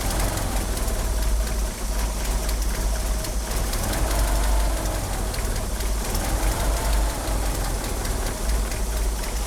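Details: Car fitted with 850cc fuel injectors idles rough: deep, uneven idle that pulses and lopes without settling; it also won't rev up, and the power steering pump belt slips.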